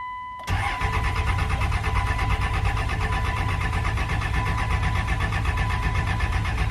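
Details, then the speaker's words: 1999 24-valve Cummins diesel, sitting for 2 years, with injector lines cracked to bleed and poor battery connections: the starter cranks steadily for about six seconds with no firing. Crank no start, fuel not primed. "I hear the lift pump running, so that's good. Not seeing a whole lot of diesel coming out of the lines."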